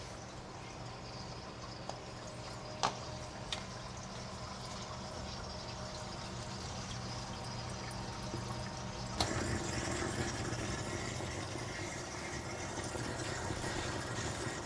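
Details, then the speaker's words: Reef aquarium protein skimmer with silencer tubing removed from air inlet: constant airy hiss with water gurgling, about 58–59 dB versus 52–53 dB with tubing on. "so that is how it sounds with the tubing removed you can actually hear the water kind of like the water gurgling it's much quieter with the tubing on"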